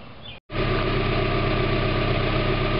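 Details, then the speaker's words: 1991 Mazda Miata MX-5 just started after a new catalytic converter was installed, not yet warmed up: a smooth, even idle with a steady low beat and no puffing or ticking at the flanges; no exhaust leaks. "Alright, I got it running now, in case you can't hear it. And there's no leaks around any of the flanges right now, so that's good."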